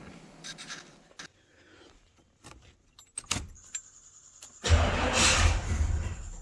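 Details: Marketplace project vehicle advertised as not running, wiring said to be chewed by ground squirrels, on a test run after adding gas to the main tank: keys jingle, clunks, then it catches and settles into a steady low run.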